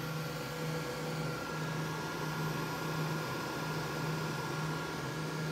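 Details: Prototype Xbox 360 XeDK after CPU replacement by BGA rework, stress-testing in Light Shafts at about 100 FPS: steady, even fan rush with faint thin high electronic whine, no rattles or surging; system working. Normal fan running.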